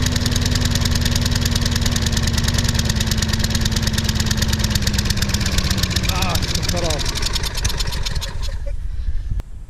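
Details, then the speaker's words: Sears Craftsman mower with Briggs & Stratton 6.75 gross torque 190cc engine, bought broken, earlier run: steady chugging slowly loses speed until it dies; later thought to be due to very thin oil (possibly 0W-20) and low compression. "in the last video you saw that it started and just started running slower and slower and just cut"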